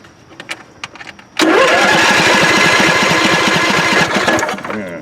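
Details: John Deere LA145 V-twin lawn tractor cranks steadily about three seconds without catching; spark confirmed at both plugs, fuel lines blown clear, fuel now squirting from pump. Owner suspects the fuel pump (bad or jammed diaphragm), replacement ordered; cause unconfirmed.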